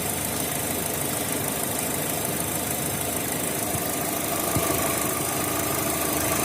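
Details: Opel Z18XE engine with Siemens Simtec 71.6 ECU: idle runs uneven with a loose, stumbling beat instead of a smooth hum; misfire caused by a faulty engine computer.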